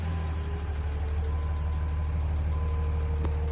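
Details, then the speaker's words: Warm 2003 Dodge Ram 5.9 Cummins common rail diesel at 320,000 miles, after an in-frame bearing and thrust bearing replacement for a bottom-end knock. Deep, smooth idle in neutral and in gear, no knock. Normal idle. "nice smooth idle and even when you put it in gear engine sounds nice and smooth neutral back into gear sounds nice and smoo"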